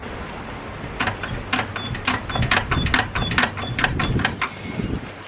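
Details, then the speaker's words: 2000 BMW E46 323ci coupe, rear suspension: sharp creaky clunks about twice a second as the back of the car is pushed down; source still unknown, wheel to come off to check. "I'm going to show you this noise actually in the rear end. So I'll just set the camera up and then I'll just jump on the back and I'll show you."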